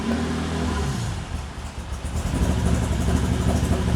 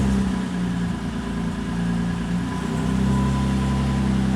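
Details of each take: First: Toyota 2GR V6 in an MR2 Spider on a Haltech ECU, cam timing deliberately set to mimic big cams: uneven, loping idle with a rhythmic stumble about three times a second. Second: Toyota 2GR V6 in an MR2 Spider on a Haltech ECU, with VVTi now used to remove the deliberate big-cam lope: the idle settles from wavering into a smooth, even beat.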